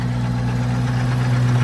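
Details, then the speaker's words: FV432 APC K60 diesel after adjusting the injection pump element that was out, plungers now in the same place: steady, even idle with a smooth low drone, no knocks or misses; definitely sounds better, smoke not obviously improved; normal idle. "Well, I wouldn't have said it had, but it's definitely running better. That one was definitely out. It's not like holding a temper. Yeah. It definitely sounds better, doesn't it?"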